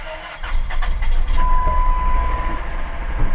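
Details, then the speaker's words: Salvage-auction van listed as runs and drives: low, uneven, lumpy rumble with an irregular shake that makes the door bounce; it runs but not well, and the cause is unconfirmed. "And it does run. But it doesn't run well."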